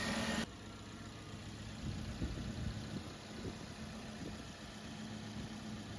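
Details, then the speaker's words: Idling engine with a steady low droning hum over it; screwdriver held against the tensioner mounting as a stethoscope picks up a failing belt tensioner pulley bearing. "have a listen to the end of the screwdriver you should be able to hear the failing bearing through the screwdriver like a stethoscope"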